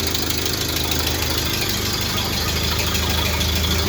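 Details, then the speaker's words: 1931 Ford Model A four-cylinder, unstarted several years, after cleaning points, freeing stuck carburetor float and resetting timing with the tool: even, low chuffing idle, steady firing, no knocks or misses; normal idle. "Just barely got it started now. I don't know if they have everything adjusted right on it, but it is running. I guess it's hard to kill these things."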